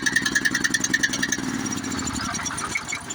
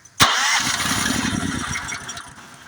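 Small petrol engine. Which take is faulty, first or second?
second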